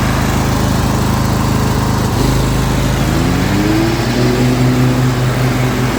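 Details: Zero-turn mower engine idling with blades (PTO) engaged, after valve adjustment: low uneven idle spits, stumbles and sags, bogging and losing power; both cylinders have spark, dies when driven under load, cause not yet found.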